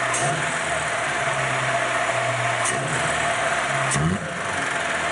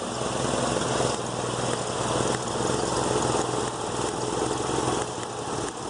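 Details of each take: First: See, it looks a lot different than it did before when you pull it up that throttle angle, doesn't it? And it's not stumbling anymore. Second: Petrol engine idling unevenly, with irregular pop-pop-pop skips from a misfire.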